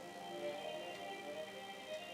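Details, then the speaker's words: Amiga CD32, console audio very faint and thin, barely above hiss even when turned all the way up; suspected op amps ruled out, cause was the case volume slider set low. "So please note how quiet that is. That is all the way up."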